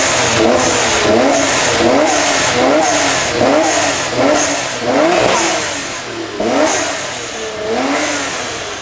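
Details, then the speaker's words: HKS-built T3G twin-turbo 1JZ swapped into an R32 Nissan Skyline (replacing RB20), first start, freshly calibrated drive-by-wire throttle on default map: revs blip up and fall back slowly, lagging the pedal; sluggish throttle response. "that is a hella lazy throttle I know it's like on default mode but wow"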